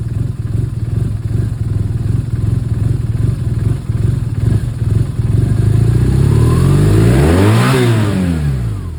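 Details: 2011 BMW R1200R boxer: lumpy uneven idle, then a short blip and settle, beat stumbling and irregular throughout; rough idle with misfires under light revving.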